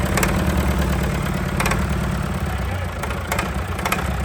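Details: Fire-damaged diesel in 1989 Sambron D2000 telehandler after wiring-fault fire, running at about half throttle; settles into steady even run with solid low-end note and no knock or miss; sounds healthy, worth salvaging.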